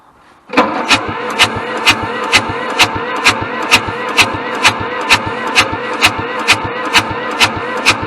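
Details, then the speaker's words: Hamm DV3K roller/packer bought inoperable at auction, cranking but not starting: steady rhythmic chunk-chunk at about two compressions per second, never fires; air bypass or stuck valves suspected. "I don't know where that chunk chunk chunk I don't know to me it sounds like air bypass and valves"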